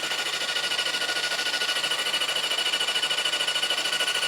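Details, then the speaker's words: Freed-up seized 1973 Honda CB750 four-cylinder engine on the bench, cranked by its starter: fast, very even whirring chug at about three beats a second, engine spins freely, compression heard; normal healthy cranking. "Well, that starter's a champ. Let's do some more. Hey, it sounds like compression."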